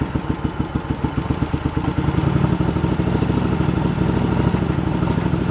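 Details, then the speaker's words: Yamaha Virago 1100 V-twin, cold, during carburetor sync on gauges: lumpy, uneven idle pulses that turn ragged on a blip, with one cylinder pulling harder; carburetors out of sync. "You hear it pulling one of the cylinders. And here we are on the gauges. That's the difference we're having between the two of them."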